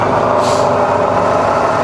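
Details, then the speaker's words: Rebuilt Bridgeport mill, variable speed head, 240V single phase, low range, spindle from 140 to 240 rpm, then in reverse: smooth quiet even hum, no knocks, rattles or whine; healthy running. "and that's on to 240 and you can hear it's lovely and quiet same in reverse just as quiet there we go"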